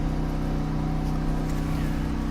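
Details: Pulsar G12KBN dual fuel 12000 W generator, full synthetic 10W-30 oil, running with only a kitchen light on: steady low drone at constant speed, even pulses, no hunting or surging; normal light-load running.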